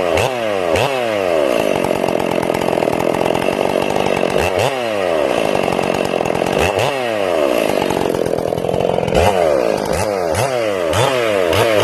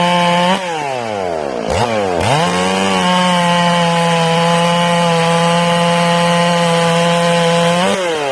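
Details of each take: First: Ported Stihl MS461 chainsaw, first cuts, not broken in, carb set a little rich; revs rise and fall entering and leaving the cut with uneven burbling, sounding like four-stroking, partly from the rev-limited coil. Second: Newly ported, not yet broken-in Stihl MS461 chainsaw after the high jet is turned back from overly rich; steady even high-pitched scream in the cut without burbling, carb cleaned up and running clean.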